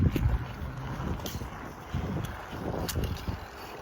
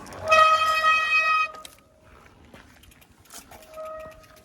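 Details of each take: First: Bicycle front hydraulic disc brake at moderate speed to a complete stop: no squeal, only wind rumble and light clicks. This follows cleaning hydraulic-fluid contamination from the pads and rotor with rubbing alcohol, heat and sanding. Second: Hydraulic bicycle disc brake with a loud, steady horn-like squeal: hydraulic fluid got on the pads and rotor during a service. Fixed by removing and cleaning the pads and rotor.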